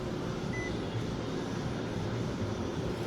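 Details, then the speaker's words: 2015 Nissan Sentra, newly replaced blower motor tested out of the housing on very low speed with key on: soft, even whoosh with low hum, steady, no scraping or ticking; blower working cleanly. "see, it's working."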